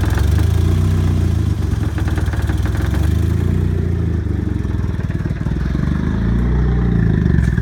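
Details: Turbo 1994 Mazda Miata, just bought: lumpy, uneven idle with low chugging pulses that wander and sag, near stalling at stops. The exhaust manifold next to the turbo leaks heavily, and the owner suspects it is suffocating. Cause unconfirmed.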